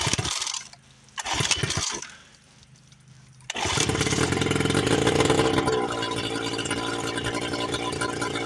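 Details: 1976 Johnson Seahorse 9.9 two-stroke outboard, first run in over 30 years after repairs, on a flush attachment. A couple of pulls, then it fires and holds a steady buzzing run without hunting, carburetor unadjusted; runs properly, though no water comes from the exhaust yet.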